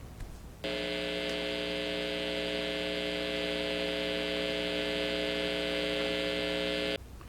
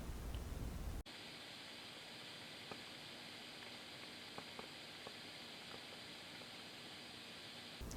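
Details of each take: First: Fender Blues Junior IV tube amp, all tubes replaced after a bad power tube blew the fuse: a loud, steady buzzing hum with stacked even tones starts 10–20 seconds after power-on and holds until shut off, caused by a resistor fried by the failed power tube; before repair. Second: Fender Blues Junior IV tube amp after repair (bad power tube had blown the fuse and fried a resistor, causing a loud hum or buzz 10–20 seconds after switch-on; tubes replaced): only a faint even hiss, no hum or buzz, quiet amplifier hiss.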